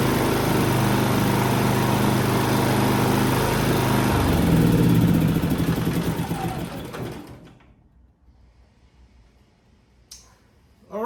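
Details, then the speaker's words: Harbor Freight Predator 3500 inverter generator after maintenance with BPR8-type spark plug gapped about 0.030–0.031 in, warmed to operating temperature: even steady buzz at constant speed, no surging, then winds down cleanly; healthy running. "right so it's up to operating temperature pretty pretty uh pretty warm so uh it seemed to be running pretty pretty decent with the brp8"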